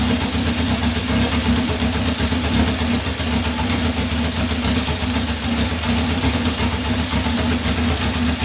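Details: 1978 Honda CB750 K8 after first start following ignition/starter repair and carb install, temporary fuel supply: busy, continuous four-cylinder patter holding steady idle, no stumbles or dropouts; normal idle.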